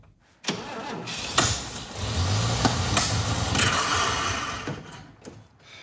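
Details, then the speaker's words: Vintage International Harvester truck, unrun for 21 years, running on starting fluid: stumbles with uneven surges and pops instead of settling; rough running, one suspects too much timing, the other thinks it flooded. "go doesn't it sound like too much timing no I think it just kind of flooded"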